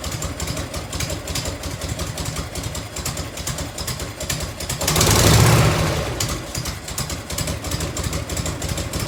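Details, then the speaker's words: 1990 Harley FLHTC Evo V-twin, cold start on choke and fuel reserve, heat shield off, after primary and clutch reassembly. Lumpy idle with sharp ticks on each firing pulse, about 200 a minute: exhaust leak at a crooked header clamp. "so an exhaust light right there on that clamp like it's hot quick though"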